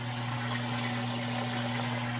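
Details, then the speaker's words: GE top-load washer with full load of towels and jeans, draining after wash: steady, even low motor hum with water rushing through, no rattles; normal drain pump operation. "so we'll keep going with it as it drains and then does the final spin cycle we'll come back for that and now it is draining"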